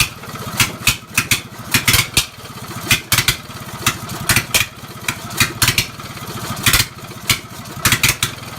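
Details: Lawn mower engine run after more than 10 years idle, stumbling with uneven, lumpy pops and surges. It sounds like a misfire, but a choke stuck closed was flooding the carburetor.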